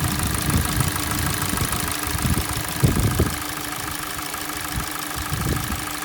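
Light rhythmic tapping over a steady cold idle, irregular but persistent with a few louder clusters; cold engine knock, cause undetermined.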